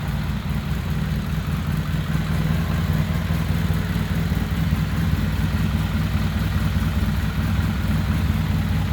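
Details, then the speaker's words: Polaris Sportsman 700 with a rebuilt engine: an even, steady, low thumping single-cylinder idle with no knocks, rattles or hunting. Running normally. "all right guys just thought I'd show you this bad boy fire it up for you sounds like a 700"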